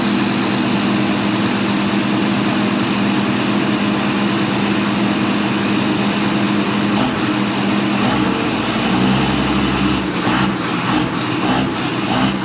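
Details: Farm tractor diesel (7530) started on a frosty morning: loud, steady diesel clatter catches and holds an even idle, no misses or knocks; normal cold start.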